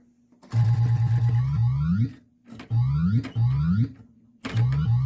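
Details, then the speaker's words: 1981 Bally Elektra pinball machine during restoration: low buzzy electronic sound effects sweeping upward in bursts every second or two, clean with the earlier hum now gone; sound system working. "so the hums gone and sound effects are alive"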